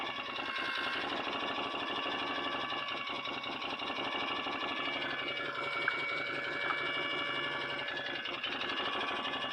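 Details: 2008 Can-Am Outlander 500 Max XT with overheating and limp mode, cooling fan forced on: fast steady ticking chatter over fan whir; fan blade rubbing against something, later sounding okay.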